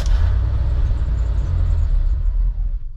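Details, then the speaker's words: C30 wrecker with throttle body injection: engine catches with a deep rumble for about two and a half seconds, then dies; stalls after starting despite fuel pump running; suspected low fuel pressure or dirty, stuck regulator in throttle body, unconfirmed. "now starts up and shuts off and I hear that pump going going but I think we're not building up enough fuel pressure"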